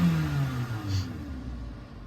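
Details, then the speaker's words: 2014 Toyota Corolla LE, 1.8 2ZR-FE, throttle response after repairing wiring in the throttle actuator circuit (P2118); revs fall back smoothly and settle without stumble. Idle hangs slightly high, expected to drop after 10–15 minutes of stop-and-go driving. Normal response. "It does hang a little bit high, but I think service data said like 10 or 15 minutes of driving, stop and go driving, for the idle to drop back down."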